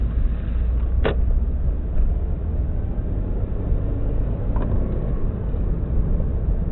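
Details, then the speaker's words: 2002-03 Subaru WRX EJ205, warmed up, lumpy uneven idle stumbling irregularly; cylinder 3 misfire, no ticking, spark plug ruled out, engine shakes; supposedly a cracked valve. "Doesn't tick or anything, just that's misfiring. When I first got it, it was misfiring on cylinder 3. I was hoping for a spark plug, but that wasn't the problem."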